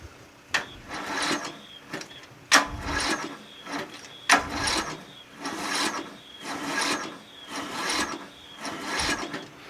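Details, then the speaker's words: Murray 14.5 42-inch lawn tractor being cranked on a weak 12.1V battery with a charger on starting mode and no fuel line connected: rhythmic rasping cranking about once a second with no firing; crank-no-start because no fuel is supplied. "let's remove the as obviously there's no fuel line connected to it right it's obviously no gas in here because there's no fuel line"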